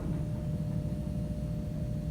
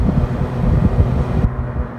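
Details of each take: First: Six-door freezer that is down, heard with the panel off: faint steady electrical buzz with no pull-in clunk and one snap; 238 V at the contactor top and 0 V at the bottom; contactor coil hums but won't pull in. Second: Six-door freezer condensing unit just restarted after replacing a crusty contactor: steady low compressor hum with fan rush, even, no knocks or rattles; running normally.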